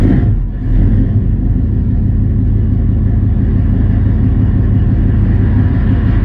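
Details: 454 big-block V8 with Sniper EFI in a C30 truck, cold start at 25°F: catches quickly and settles into a deep, even low rumble at steady idle, no misses or knocks; normal cold start.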